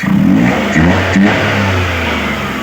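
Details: Suzuki F6A EFI engine, previously hard starting and stumbling on acceleration, after fixing a socket with no continuity and cleaning the injector, check engine light cleared: revs rise and fall cleanly with no misfire or stumble.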